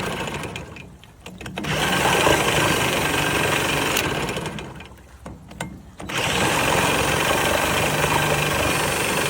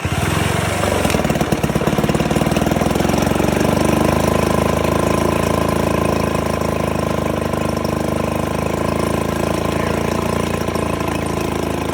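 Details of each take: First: 1969 Johnson Sea Horse 1.5 hp two-stroke outboard on choke: runs in uneven bursts, dropping away twice then picking up; surges and will not hold an idle, cause unknown. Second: 1969 Johnson Sea Horse 1.5 hp two-stroke outboard, running for the first time in years after the choke cable was extended and water added to the lower end: even crackling beat with no misses or surging. Normal running.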